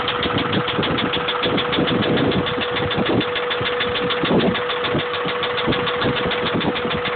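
Engine idling with a repeated dull knock ticking along with engine speed; sounds like a bottom-end knock, but unconfirmed.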